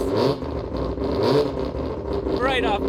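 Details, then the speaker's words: Three-rotor rotary engine after flattening and refitting a warped plate, with no leaks. A lumpy, choppy idle with a crisp rap and a brief throttle blip, sounding much better than before the repair. "Let's see if it sounds any more crisp. Sounds so much much better."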